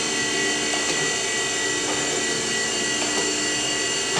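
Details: Old, multiply-repainted surface grinder with hydraulic table traversing at pressure-adjusted speed between set endpoints: steady high whine and even hum, no knocks or grinding; everything works as it should.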